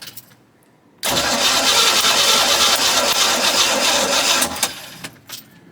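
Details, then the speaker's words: 1990 Cobalt 202 boat V8, previously locked up, now runs; coil wire disconnected so it cranks without firing to check compression across all eight cylinders; steady, even cranking rhythm, no dragging strokes, consistent compression. "I want to make sure the compression is even across all eight cylinders so we're going to disconnect this coil wire right here so we don't send spark down to any of the cylinders and what I want to hear is a consistent sound as this thing spins over let's listen"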